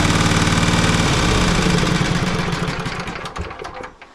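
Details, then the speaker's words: Poulan Pro 700EX riding mower twin engine: loud lumpy thumping about four beats a second that sags and stumbles before dying; running on one cylinder. "Now with a trained ear, that sounds to me like it's running on one cylinder."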